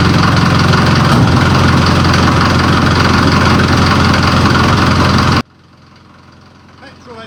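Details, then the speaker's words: Series 2 Land Rover diesel on first start in three years, on 3-year-old fuel, with a new starter motor and a weak battery. Loud, steady clatter at even idle with no misses or knocks, then a clean shutdown: normal idle. "3-year-old diesel. But she's running sweet as a sewing machine. Very loud sewing machine, but fantastic."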